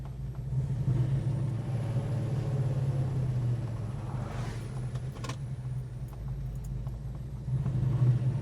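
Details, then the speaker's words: 1969 Dodge Charger R/T, 440 four-barrel V8, four-speed manual, about 30 miles since full restoration, heard from the passenger seat: steady V8 rumble under light cruise load, rising and easing with throttle, no rattles or knocks; normal cruise. "break straight as an arrow drive straight this is really the epitome of a fully restored muscle car"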